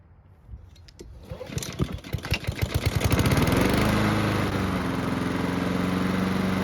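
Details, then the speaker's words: Honda lawn mower after carburettor work to fix surging, hot restart after several minutes of running: a few pull-start chugs, then a smooth, constant pitch with no hunting; surging fixed, though the engine was lightly smoking. "So the good news is that the engine had no issues starting back up when hot. There's also no surging, which is great news."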